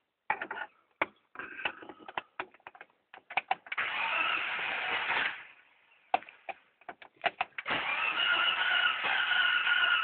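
Several seconds of steady cranking, broken by clicks, repeated twice; the engine spins but never fires or catches.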